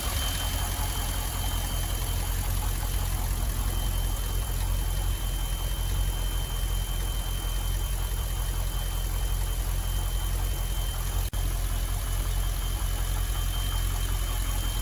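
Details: L98 LS V8 Holden Calais idling on its first start after engine teardown, knock repair and new gaskets and seals: steady even idle, smooth low rumble, no tapping or knocking, quietening up; normal idle.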